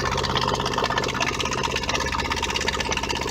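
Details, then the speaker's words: Whale FP0184 Watermaster water pump in a 16-month-old Bailey motorhome, reassembled after no-flow fault following winter drain-down: even motor buzz with light gurgle drawing water, priming smoothly; normal water pump running. "you can hear the pump running now bit of a gurgling sound but no speak spring it"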